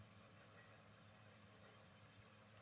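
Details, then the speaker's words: Maspion wall-mounted electric fan, motor only hummed and needed a hand push to turn; after oiling the motor bearings: quiet even hum with steady airy whoosh, spins freely on its own; normal running. "ini langsung berputar Alhamdulillah yang tadinya motor dibantu karena berdengung tidak langsung berputar-putar"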